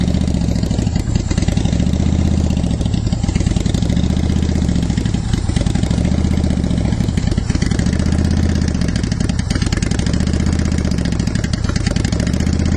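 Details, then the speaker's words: 2010 Honda Shadow Phantom V-twin after fuel pump and gas tank cleanout with fresh non-ethanol fuel, warmed up. Steady even idle with no misses or surges; it revs better and fuel delivery is restored. "so there we go now we got kind of a steady idle going so i think that sounds a lot better"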